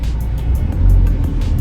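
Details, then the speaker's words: 2011 Vauxhall/Opel Astra 1.7 CDTi common-rail diesel on a road test under load after a fuel pressure fix: steady, even, low rumble with no surging or dropouts. Fuel pressure follows the desired line; the previous complaint was stalling and rev surging when cold. "danger is not surging anymore which is a good thing put the foot down let's see if we're gonna get those big dropouts again nothing pretty good"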